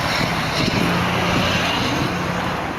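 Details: 2003 Nissan Altima 2.5 with blown engine, sitting 8 months, jump-started from a 2006 Ford Expedition 5.4 V8 after weak battery: engine catches and settles into a steady, even low rumble with no misses or knocks.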